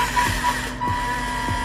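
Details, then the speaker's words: Polar Lights TikTok RC car before cleaning and greasing: steady electric motor whir with a dull low thump roughly every 0.6 seconds; gear noise, dirt in the gear train suspected, not confirmed. "and I'm not talking about that H it just sounds dirty to me so I'm just going to go ahead and um get some alcohol and clean these gears off pretty good"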